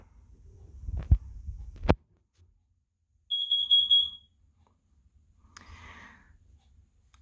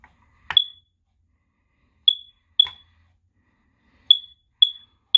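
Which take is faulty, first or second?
second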